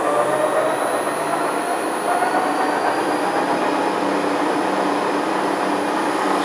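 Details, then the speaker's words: Transfer box with 1.4 transfer gears on a test bench, in diff lock, about 1945 rpm: constant high gear whine with faint rising tone, smooth even run, no knocks or grinding; normal tooth noise, new support bearing working well. "so when you're driving your car you wouldn't hear that it sounds bad but it isn't really it's just the teeth that just sort of thing"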